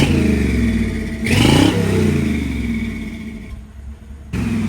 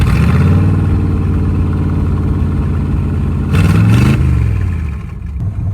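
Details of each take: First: Old Chevy, a '64, with a new exhaust. Deep rumbling idle, then a quick throttle blip that rises and falls cleanly, no leaks or rattles: normal exhaust note. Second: 1955 Chevy V8 run with open exhaust manifolds, no mufflers, one side only slightly open because the heat riser doesn't open fully; deep loud unmuffled rumble with a quick rev and raw bark, a little louder.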